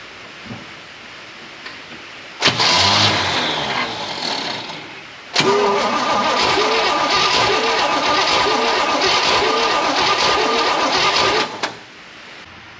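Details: 1968 Pontiac Firebird parked 30+ years, cranking with a fuel jug feeding the carb and the accelerator pump primed: steady starter churning at about two beats a second, no firing; cranks but won't start, weak spark suspected.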